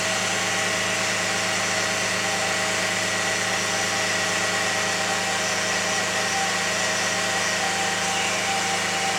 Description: 2001 Lexus RX300 making Whining Noise